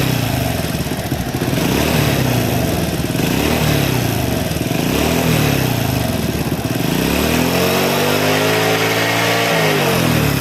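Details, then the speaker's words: Honda Supra X (C-series) motorcycle idling still rough after oil bleed of automatic cam chain tensioner: loose metallic rattle; tensioner check ball found detached. "Baik Kang Bro, untuk suaranya tetap masih kasar ya."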